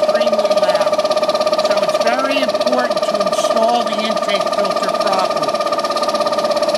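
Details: LT Series lubricated, tank-mounted reciprocating fire-protection air compressor for a dry-pipe sprinkler system: loud steady drone with a sharp tone and fast even pulsing about 200 a minute; excessive noise caused by an improperly installed air intake filter, wingnut must be snug.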